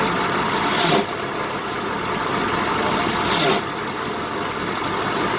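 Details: 1970 BMW 2002 at idle: harsh high grinding rasp flaring about a second each time the clutch pedal is released, gone when the pedal is pressed; clutch grinding.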